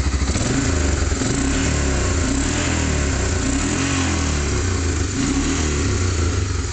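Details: 1988 Honda Fourtrax TRX300 2x4 engine revved: single cylinder climbs and drops evenly with no misses, knocks or rattles, no leaks; normal revving.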